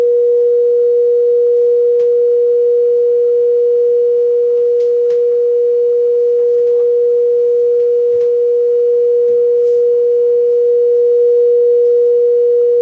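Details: Bose L1 Model II portable PA fed from a signal generator, trim raised from zero: one steady, pure mid-pitch tone with no crackle, buzz or breakup over a slight background hum; signal passes cleanly, green signal/clip light.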